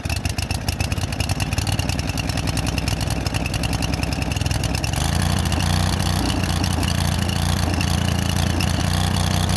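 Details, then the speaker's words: Late-1990s Snapper SR1642 riding mower after throttle linkage fix and fuel adjustment; small engine stumbles and hunts unevenly then runs slightly ragged, owner suspects still running lean, cause unknown. "it still seems like it's running lean uh did that and it uh still doesn't run want to run like it's supposed to"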